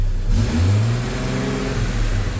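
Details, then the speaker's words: Jeep Comanche after engine reassembly, first run, possible coolant drips from new freeze plugs smoking: revs climb and hang instead of dropping to idle; sticky throttle cable needing lube. "Oh, that's that sticky throttle cable. I'm going have to lube that up a bit."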